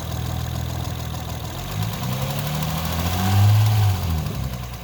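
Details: 2008 Honda Accord V6 at idle: fairly regular knock, roughly 220 per minute, riding over the engine note and rising with a blip; source not pinned down.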